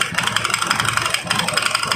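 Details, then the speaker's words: Honda Beat carburetor scooter, CVT cover removed at fast idle: rough, rattly uneven chatter from belt drive; whole CVT interior soaked wet and needs proper washing; condition fairly severe, original complaint knocking and slipping CVT. "Nah setelah dibongkar suaranya makin kasar seperti ini ya teman-teman ini juga sangat basah sekali pada bagian seluruh area dalam CVT nya"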